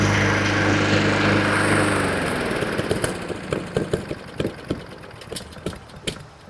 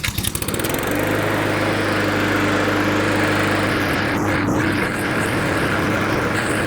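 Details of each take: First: Honda 21-inch walk-behind self-propelled mower starts, runs about 30 seconds, then pops and dies; an ignition misfire stall traced to a faulty spark plug and fixed with a new NGK BPR5ES plug. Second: Honda 21-inch walk-behind self-propel mower that had been starting, running about 30 seconds, then popping and dying; test run outside after repair (NGK BPR5ES plug listed among parts) holds a steady, even single-cylinder buzz with no misses or surging, so the stall appears resolved.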